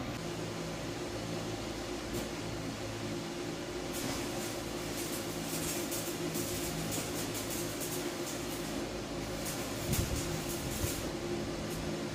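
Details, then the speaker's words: Primeweld CT520DP welder, about 25 minutes after it unexpectedly stopped turning on during arc welding: a steady fan whir over a low electrical hum with no arc. The blower is running after the shutdown. "fortunately the machine is no longer turning on okay so that's a surprise we're obviously up to trying to turn it on again maybe about 25 minutes the machine is I mean have these blower is turning on"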